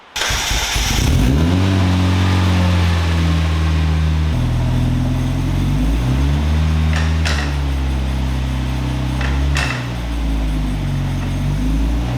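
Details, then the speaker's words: Turbo Miata after a repair, run on a lift: engine hum climbs and steps through gears with no clunks, grinding or diff whine. Both wheels turn; owner thinks it's fixed but plans to drain and inspect diff fluid for metal bits. "so it looks like both wheels are moving which is good and um I think it's fixed"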